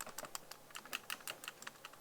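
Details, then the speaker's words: Action camera in a cage held near the microphone: light, sharp, uneven clicks as the camera rattles loosely in the cage. "it's rattling can you hear that that to me is a really silly idea to have a cage for your action camera that's going to be shot all over the place on the motorbike that rattles"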